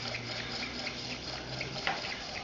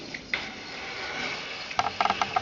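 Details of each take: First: Small coaxial hot air engine running on residual temperature difference after the heat is removed; soft, light regular ticking, turning evenly: normal running. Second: Small coaxial hot air engine; light irregular ticking with short high squeaks as crooked purchased glass tubes scrape, slightly out of adjustment, slowing the engine: glass tube scraping squeak.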